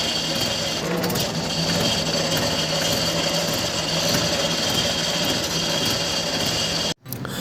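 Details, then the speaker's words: Diesel engine running with a harsh, uneven metallic clatter from the clutch area; seized crankshaft pilot bearing, clutch plate also damaged, both to be replaced. "यह जो आपने आवाज सुनी है तो यह कब आती है जब क्रैंक बरं जाम हो जाता है उसके बाद ही यह आपको आवाज सुनने मिलती है"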